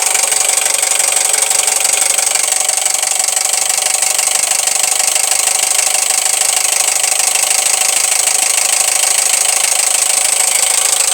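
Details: Toyota 1AZ-FSE petrol four-cylinder idling with a loud, steady metallic knock; suspected piston slap or rod knock, unconfirmed.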